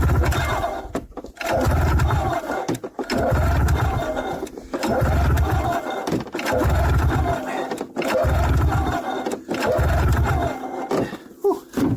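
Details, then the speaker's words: 1994 Yamaha VX500 (VMAX 500) two-stroke snowmobile, long stored, choke on: repeated recoil pulls about every two seconds, engine turns over but never fires; cranks but won't start, owner checking fuel line and air filter. "okay after a few pulls it didn't didn't seem to do anything"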